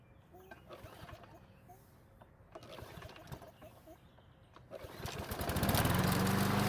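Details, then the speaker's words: Snapper mower unserviced for four years, cold start on old fuel left in system with neglected air filter; several scattered pull-cranks before catching and settling into a steady drone; slightly reluctant cold start. "Luckily it started back up without much hassle, although the cold start could have been a little bit better."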